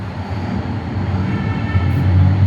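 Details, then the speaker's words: Diesel generator in weekly manual test, started from synchronizing panel green button: low rumble swells then settles into steady even drone; running normally, 414 V output shown. "Command गेली, आता डीजी start झालं आहे तिकडे."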